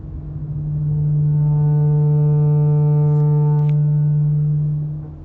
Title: Camaro ZLE Brake Noise 1